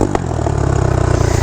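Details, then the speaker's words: Honda motorcycle (2021 Rebel 1100 or 2022 Navi) with a Yoshimura pipe, riding: sharp chuffing on every firing pulse, backfiring and popping that grows louder as riding continues; exhaust leak, while the flange looked intact. "I keep riding and the noise gets louder it sounds like the exhaust just blew apart"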